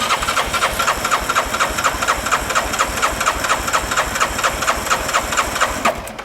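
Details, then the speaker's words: 2013 Bennche 500 UTV compression test, fuel pump unhooked, throttle wide open, cranking without firing: about two even beats a second; gauge read 131 then 150 psi, compression judged good. "All right, right now we're at 131. Let's try again, throttle wide open. So we're about, that one there is at 150. So I think we're probably good on compression."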